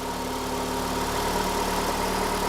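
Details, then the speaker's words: 2012 Ford Escape 2.5L four-cylinder with P144A EVAP code, idling, purge solenoid unplugged and canister hose off: constant airy hiss as it still draws intake vacuum; purge solenoid stuck open, vacuum leak, needs replacement. "In this state, the purge solenoid should be completely sealed. And it's not. We're drawing vacuum."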